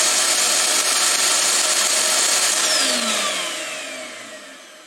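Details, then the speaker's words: Shop Vac motor after removing the top and lubricating it: a high, even whine cuts off and glides smoothly down in pitch with no growl. It spins down normally with no problems heard. "sounded good spinning down didn't hear no problems and uh i think we're good here"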